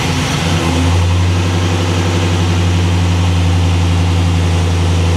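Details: LS-swapped G-Body V8 with factory A/C, mic on owner's chest, 157°F water temp: after a brief flare it settles into a deep, steady, even idle. Normal warm idle before A/C is switched on.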